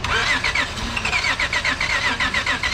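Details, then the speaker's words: No-start, no engine codes: starter churns unevenly at about seventy pulses a minute and never catches; tester shows spark but it is intermittent, not hitting every time; crank no-start. "got a spark, but it's intermittent. Yeah, you saw it. Something got a spark, but it's not hitting all the time."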